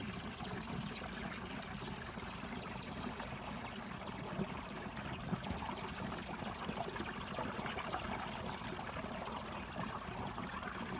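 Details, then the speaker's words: Massey Ferguson 1105 left rear tire being aired up from a portable tank: continuous watery gurgling at the valve stem from liquid ballast inside the tire, normal. "these tires have fluid in it so you can hear it gurgling well area"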